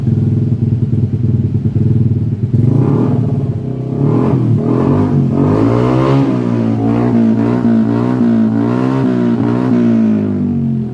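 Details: Yamaha Aerox 155 scooter after a total electrical failure was fixed: a wiring connection was repaired, the body cable was re-taped, and the low battery was charged. The engine idles evenly, revs up and settles smoothly with no misfire or rattle.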